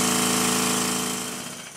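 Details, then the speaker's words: Rebuilt Stuart 10V steam engine on compressed air, externally lubricated, after crankshaft bearing shimming: rapid, even exhaust beats at a steady fast rate, crisp with no knocks or rattles; healthy, nearly silent when slow. "as you've just heard it does sound rather nice here it is running slowly and it's almost silent"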